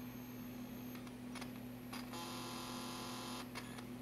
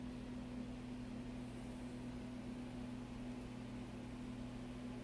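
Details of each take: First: Macintosh TV logic board at first power-up after a recap and resolder: quiet, steady mains-like buzz with a few faint ticks from the speaker and no real sound; suspected ground issue or open input on the audio op amp. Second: Macintosh TV logic board after recap, right channel digital noise fixed by repairing an open non-inverting input to the JFET op amp: only a faint steady low hum and soft hiss, no crackle or buzz; clean audio output.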